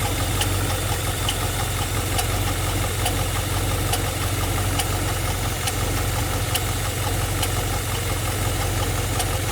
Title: G8 ticking noise